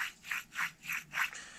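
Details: 2005 Lincoln Aviator's removed worn wheel bearing, turned by hand. A rough metal-on-metal rasp swells about three times a second. It had ground on fast left turns, and the new bearing fixed it.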